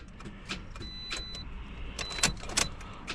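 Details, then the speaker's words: 2013 Toyota Corolla no-crank: sharp, irregular starter solenoid clicks on each key try with no cranking, even after a replacement starter; solenoid is getting power, so possibly another bad starter. "the solenoid is definitely clicking. That means we're getting power to the solenoid."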